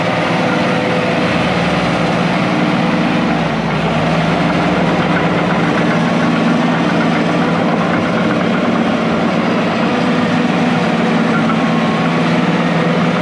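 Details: International IH 175C track loader diesel, sat a long time, freshly serviced with fluids and filters changed, first run outside the shop: deep, steady even idle, no knocks or misses under the clatter; normal healthy running.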